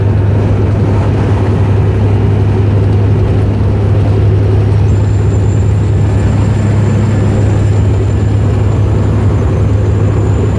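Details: 2007 Freightliner Columbia diesel with water-cooled turbo that lost power: steady heavy rumble with a thin high whistle coming in halfway and holding on; failing turbocharger noise.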